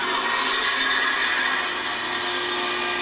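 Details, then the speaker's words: Heat pump outdoor unit icing over, fan only runs after a thump on the side: harsh, steady scraping grind with a hissy edge as the fan strains to turn, tries to restart, then stops; cause unclear. "sometimes it'll try to come back on again while it's making that noise and then stop"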